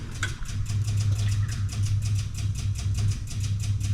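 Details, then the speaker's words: Electric fuel pump on an old fire truck that will not start, running while cranking: rapid even ticking about six beats a second over a low steady hum; whether it actually delivers fuel is still to be checked. "I can hear that fuel pump going to town now we just need to check and see if it's actually pumping any fuel"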